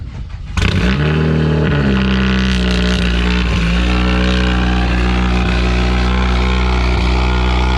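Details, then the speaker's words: Fully built 2010 Mazdaspeed 3 drag car, first cold start of the season near 40°F after fitting a new Odyssey battery (old one likely killed by freezing weather): catches quickly, settles to steady deep idle; works, a good sign. "let's try fire it up he works that's a good sign"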